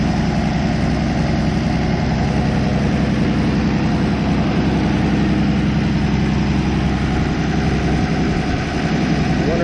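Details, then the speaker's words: 1964 Plymouth Belvedere slant six with a Holley two-barrel carburetor, after a new coil wire fixed the no-spark problem: a low, even idle thump at about four beats a second with no misses or knocks, so the engine is idling healthily. "I had heard those Holly two barrels were junk but it just runs perfect couldn't ask for"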